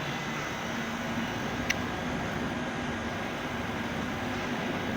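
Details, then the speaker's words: Fried ice cream machine refrigeration running after the solenoid valve wiring fix. Steady hum and fan rush with no knocks; 5 A draw, temperatures falling from 11.1 to 8.8 to 7.7 and frost forming. Controller or sensor suspected defective, so it won't reach the -20 °C setpoint. "we have 5 amp consumption and look we already have 11.1 54 it already feels cold even low suddenly 8.8 it can be seen that they are already freezing we have frost"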